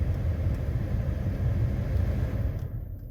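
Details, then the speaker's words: Escalade (same as Tahoe/Yukon body style) front blower motor after replacement with an O'Reilly part, cold weather: steady low airflow rumble with no squeal or screech, even and quiet throughout; previous screeching gone, blows fine. "so we're all good to go here you can hear nice and quiet now no screeches blows fine"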